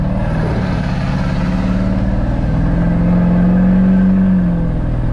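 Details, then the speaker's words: LB7 diesel truck with a lope tune: deep, even rumble rising smoothly in pitch under load with no miss or stumble; normal running. "Oh yeah. Oh, and this thing's got a fancy lope tune. That's sick."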